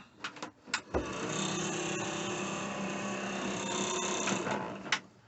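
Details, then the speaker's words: 1990 Chinook 18+ camper, integrated bathroom fan switched on and cranked up. After a couple of switch clicks it spins up to a steady, even whir with a low hum, no rattle or scrape; fan works fine. "fan works fine"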